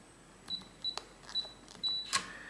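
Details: Schlage BE365 keypad deadbolt after a factory reset, user code entered: four short high beeps as the buttons are pressed, then a quick motor whirr as the bolt draws back; lock working normally.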